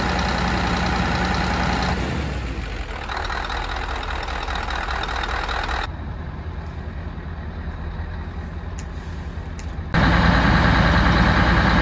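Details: Scania DC16 PDE 16-litre V8 diesel, 500 hp, from Scania R500 truck, 1.6 million km, first start after rebuild and reinstallation: deep even rumble at low steady idle, no knocks or misfires; normal idle.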